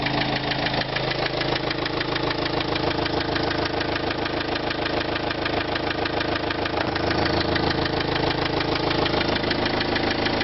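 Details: Renault Trafic 2005 1.9 dCi at steady idle: sharp, regular knock about three times a second staying even throughout, from inside the engine; cause unknown.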